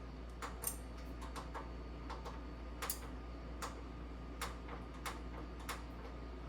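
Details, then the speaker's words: Bertazzoni vent hood (X365 GGV X), lights switching on and off by themselves: sharp irregular relay clicks over quiet hum, light comes on after a second; faulty relay, relay board needs replacing. "okay so now I can hear the noise clicking noise if I flick here it comes on and the same thing here I I hear the click noise but the light came on after a second"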